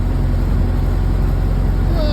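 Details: 1931 late Model A Ford coupe with a new Snyder 5.5 head, first run after a full engine teardown, timing lever advanced to its sweet spot: slow, even low thump at idle with no knocking or missing on top; the timing is right and it runs sweet.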